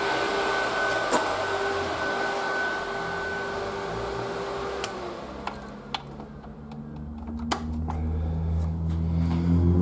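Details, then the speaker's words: Triumph Spitfire after head gasket failure, ignition on, dummy switch forcing electric cooling fan on: even steady whirring drone, constant pitch, no rub or rattle; fan working, not the cause. "so clearly the fan was running yesterday because i had the dummy switch on inside just in case just so i knew peace of mind"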